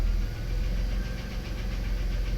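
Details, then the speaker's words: Early-1990s Dodge/Plymouth Grand Caravan/Voyager minivan at idle with good oil pressure: light, quick ticking over a smooth, low idle hum, possibly top-end valvetrain. The owner suspects it needs an oil change. "Oil pressure looks good. Still got the ticky tickies. But not too bad. Yeah. So, I guess it needs an oil change."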